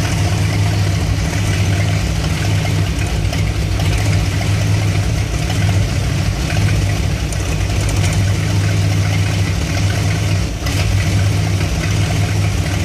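A deep, loping idle with an uneven low throb that keeps pulsing irregularly; the warm V8 is idling rough, cause not evident. Cause suspected, not confirmed.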